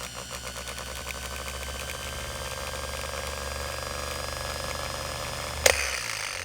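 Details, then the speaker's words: 1950 Chrysler DeSoto flathead six's starter motor, bench-tested on 6 volts and spinning free: steady lazy whir ending in a sharp snap, working but slower than it should be; slow-spinning starter motor. "why is it so lazy shouldn't it be a little faster than this oops I just made Sparks like it's it's obviously working but I think it should be faster than"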